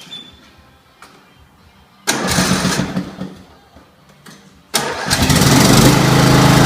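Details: Scotts 1742 lawn tractor, Briggs & Stratton Intek 17 hp OHV, first run after head gasket replacement, valve lash adjustment and full service: a couple of short cranks, then it catches and runs steady and even with no knocks or misses. Normal running.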